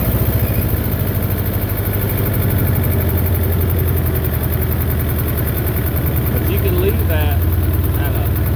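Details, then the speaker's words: Belarus 250 tractor, 2-cylinder air-cooled diesel, sat for years; after cleaning debris from lift pump poppets, steady even low idle that holds without sagging, but below this throttle setting it fades out; normal idle after repair. "if you go below where it's sitting at right now it'll start getting into the low idle and we Fade Out so you don't really have much throttling"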